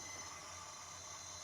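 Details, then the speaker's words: Retro cassette recorder loading a ZX Spectrum program: steady loud hiss over faint low hum, no clean signal tones; unsure if noise is on the tape itself, head cleaning planned. "I don't know if it's on the tape itself but but uh yeah it looks to be in good shape but um yeah I'll try to clean up the head maybe that helps"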